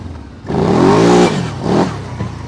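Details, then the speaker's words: 2008 Kawasaki Brute Force 750i V-twin ATV after a reset procedure. The engine snaps up strongly in pitch, drops off, then pulls again cleanly without bogging, making full power. "there we go there we go that's the Kawasaki 750 V Twin power um definitely just the belt light that's all set"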